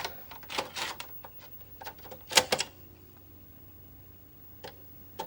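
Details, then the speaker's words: Amiga 500+ after the keyboard repair that cured its resetting, loading Workbench 2.1 from floppy: quiet irregular clicks and short seek chatter as the drive reads; normal, and no longer resetting. "reading it. It's loading. A few taps. Not resetting."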